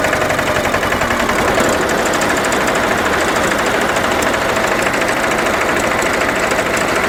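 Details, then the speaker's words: Dennis Premier diesel mower after gearbox rebuild with the original output gear refitted, cutter engaged on level ground: steady, even diesel clatter with no gearbox howl, sounding smooth and much quieter than before. "that's certainly a lot quieter and now we'll try the drive"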